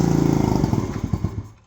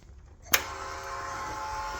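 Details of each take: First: Icebear Maddog 50cc scooter running off an electric fuel pump with a new carburetor: rapid popping firing for about a second, then beats slow and it dies; the carb needs tuning. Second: Icebear Maddog 50cc scooter with added electric fuel pump and new carburetor, key switched on; relay click then a steady, even high-pitched buzz as the pump primes and moves fuel normally.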